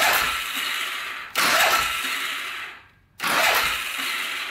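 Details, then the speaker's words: Polaris Sportsman 500 4x4 bought cheap as a non-runner with no spark: two long, thin starter whirs with no firing, fading as it labours; owner suspects it turns over too slowly to spark, something wrong with the starter gear. "might be why it doesn't have spark it's because it's not turning over fast enough"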